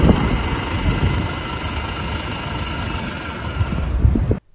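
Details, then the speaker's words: BMW i8 (2014–2015 models affected) running: rough heavy low rumble with a faint steady whine; noisy air-conditioning compressor, which also cools the high-voltage battery, needs checking. "so if you have this noise in your bmw i8 you definitely want to get it checked out"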